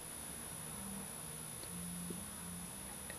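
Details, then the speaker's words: Workbench LED lighting in an otherwise quiet room: a low 60 Hz mains hum under a steady, piercing high whine around 10 kHz, believed to be LED driver noise, audible during recording. "yeah we have an annoying 60 HZ and then a really high pitch wine that's T to be like in the 10 khz range"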